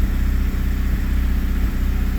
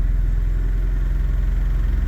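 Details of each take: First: Honda Prelude after intake reassembly idles fast, uneven and slightly lumpy with a pulsing beat. It may be the high-idle warm-up screw, while a vacuum leak is suspected; a disconnected coolant hose was later found. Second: Honda Prelude, cold, after reconnecting a loose intake tube and dealing with a coolant problem: the idle is now even and steady with a deep drone, only slightly fast, likely the cold fast-idle. This is much improved over the earlier 1500 rpm idle.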